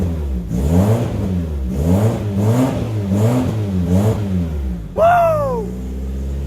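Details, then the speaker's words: Nissan Silva S13 after fuel system rebuild, in neutral: five crisp, even blips that rise and fall cleanly, then one rev up and back to a steady idle; strong and healthy. "this is the nicest this cars ever sounded it's absolutely amazing"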